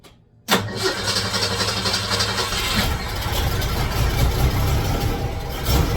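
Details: 1966 car's engine at startup stumbles and runs real rough, missing and smoking, uneven sputtering beat that never settles; air-fuel mixture definitely wrong, carburetor to be checked; rough running and stumble.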